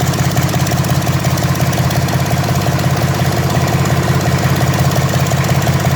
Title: Deutz d4005 start after rebuilding